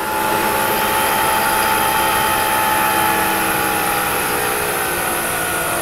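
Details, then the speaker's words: Variable-speed Bridgeport mill, recently acquired and test-run after sitting, spindle at high speed, about 4200 RPM. Loud steady whir with a faint fast rattle from one end of the head. Owner plans to tear into it. "sounds like rat down at that end"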